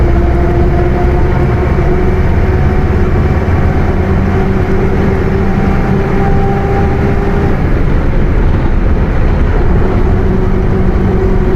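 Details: Bus with Mercedes-Benz OF 1721 BlueTec 5 chassis, Caio Apache Vip IV body, cruising: steady low drivetrain drone with faint even tone above it; rear differential howling.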